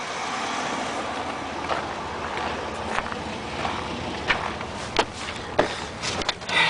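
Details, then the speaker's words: 1993 GMC Safari minivan V6 at 221,000 miles: even, steady idle with a few quick throttle blips, no knocks or ticks; runs great, healthy idle and revving. "Yep, runs great."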